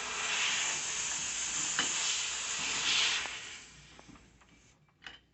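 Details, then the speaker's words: Portable medical oxygen tank opened with loose regulator T-screw: loud, steady high hiss of oxygen escaping because the valve didn't seal at the regulator. "so if you hear that hissing sound that's definitely a warning that something isn't connected right so when you hear that you just turn your tank back off so you don't lose all your oxyge"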